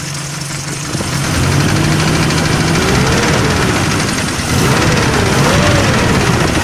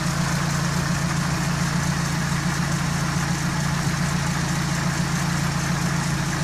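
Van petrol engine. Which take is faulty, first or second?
first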